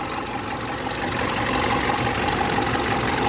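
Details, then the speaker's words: Mitsubishi L200 Triton 3.2 diesel at idle: fast, fairly even metallic rattle over the idle, loudest at the top of the engine, like a rattlesnake inside; stretched timing chain rattle, chain kit needed. "Esse aqui, galera, é o barulho da corrente. Ó. Ó, o barulho da corrente é mais acentuado aqui em cima, tá vendo? Parecendo ter uma cascavel lá dentro."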